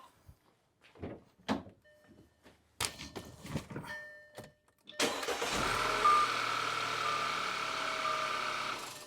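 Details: 2012 Audi A5 brought in as no-start after client's plug and Duralast coil replacement: a few clicks, engine catches straight away, smooth even idle; coils deemed fine, Bosch coils to be fitted. Normal start and idle.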